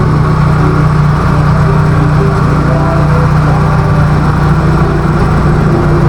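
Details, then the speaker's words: Nissan Sentra, engine running, first suspected aircon compressor: loud, steady run with a rough metallic drone and faint whirring; mechanic traced it with a stethoscope to the worn belt tensioner bearing. "So ayun mga kabiyahe, bali ito yung umiingay pala. Ito yung tensioner."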